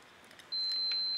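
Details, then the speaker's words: Gas burner air (vacuum) switch tested with a meter: short click, then a steady unbroken continuity beep showing a normally closed micro switch that opens when the plunger is actuated. "yeah so you can hear the switch has continuity so it's normally closed and then when the action happens on the plunger it opens so it's considered a normally closed switch"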